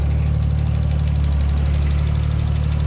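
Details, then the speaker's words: Nissan S14 Silvia with RB25DET swap, cold start after sitting unstarted a while: steady lumpy idle with a thin, high constant whistle over it, which the owner suspects is coolant spilled on the accessory belt (not confirmed); belt whistle. "is that whistling sound uh i think i spilt a bit of coolant on the belt no biggie"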